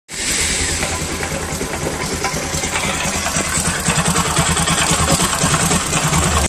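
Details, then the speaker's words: Bajaj Pulsar NS200 single-cylinder motorcycle idling with a busy, uneven clatter over the low firing beat; abnormal engine noise, one suspected cause being a camshaft bearing, not confirmed. "tiene ese sonido molesto que ustedes escucharon al principio del vídeo vamos a ver generalmente hay dos opciones por los cuales las pulsar más molestan la una opción es un balero o un rodamiento aquí en la en el árbol de levas"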